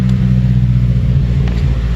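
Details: 2008 Mazda 3 speed 2.3L turbo after high-pressure fuel pump replacement: deep, steady idle hum, even with no stumble or misfire; engine runs healthy.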